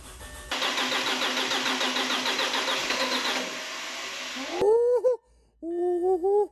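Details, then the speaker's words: 2007 Audi A4 2.0 FSI, 141K miles, first start after engine rebuild for low oil pressure: about four seconds of cranking before it catches and revs twice, sounding fuel-starved; hard start from fuel starvation. "go it almost sounds like it's not getting fuel i'm gonna keep trying come on baby"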